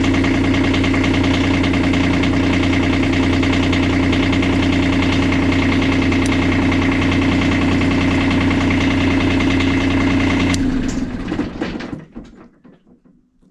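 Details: Kubota D905 diesel in a Lincoln Ranger 300 welder, start on a chilly day after glow plugs: a steady, even idle at a smooth beat, then a clean shutdown. New battery terminals fitted and alternator charging; it is running normally.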